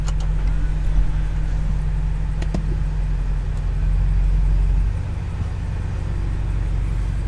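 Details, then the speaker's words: BMW F85 X5M road test after axle replacement and new diff seal, fixing a ticking when turning: low smooth road rumble rolling and turning, no rhythmic axle clicking; drivetrain healthy, issue fixed. "no nothing so far so I must have been the axle cuz I would have done it right I would have done it by now"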